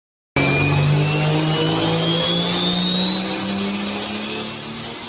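Clean whistle climbing smoothly in pitch over a strong engine note; the turbo spools up evenly, as a healthy one should.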